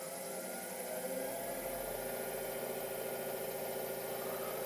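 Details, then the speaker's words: Laguna DP20 drill press, new: steady even whirring hum, no knocks or whine, feels nice and still with tiny vibration; runs smoothly. "actually quite nice and still. Tiny bit of vibration there."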